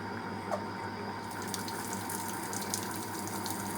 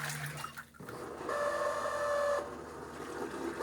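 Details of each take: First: Fisher & Paykel Smart Drive washer, spray rinse: steady hiss of cold water spraying over a soft motor hum as the drum speeds up and slows a little, no knocks or grinding; normal. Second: Fisher & Paykel Smart Drive washing machine at the drain stage of the first rinse: a thin, steady mid-pitch squeal over a soft hum, a noisy, squeaking drain pump needing a fix; it sounds better after attention.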